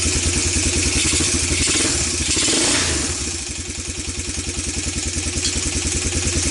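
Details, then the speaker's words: ATV that sat for years, single-cylinder, after carburetor cleaning in carb cleaner and new plug, still on old gas: pops unevenly and clatters, flares on a blip, then sputters; owner blames old gas, not confirmed, plans fresh gas. "burnin oil burnin oil for sure put some good gas in here say out sputter my cap it's exactly what I left the old gas in so we can do this and no that was the gas that was doing that to it"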